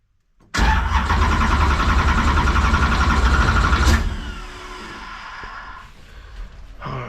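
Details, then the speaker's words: Former carbureted LS2 stock car converted from Holley Sniper 2 to Haltech Rebel LS with new Summit fuel pump, primed to 5 fuel pressure; catches after brief crank, revs strongly, settles to steady even idle; normal start. "right let's we drank all the fuel out of this it may take it a second second there you go good deal"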